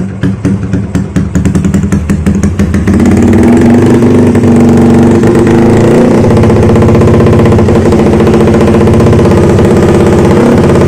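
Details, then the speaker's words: MX motorcycle after the water pump seal was replaced, built to a spec the owner calls overkill for daily use, and it smokes; repeated blips then steady high revs, crisp and even with no knocks or rattles, so the engine sounds healthy; owner mentions a carb fault and seepage. "motornya udah ngasap masuknya juga cukup banyak tapi untuk suaranya cuma keberadaannya masih enak"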